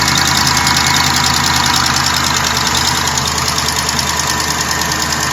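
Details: 2012 Jeep Grand Cherokee WK2 5.7 Hemi, cold start: fast light ticking, about three per second, over smooth idle; owner unsure if lifter, exhaust leak or noisy injector, quietens within a minute, longer if driven straight away.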